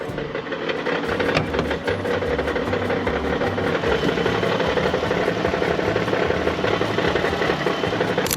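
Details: Minivan engine idling with an uneven metallic ticking knock, about three per second, over a steady low idle; engine knock present, cause unknown.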